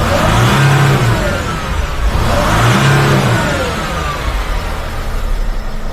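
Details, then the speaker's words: Sprinter van, 3.0L diesel, after engine oil cooler replacement with all gaskets and O-rings renewed: engine blips up and settles smoothly, even diesel clatter, no odd knocks or squeals, no dash lights; oil leak fixed, normal idle and rev. "so as you can see there are no lights on on the dash the engine is running everything is good so this is fixed guys I'm happy with this"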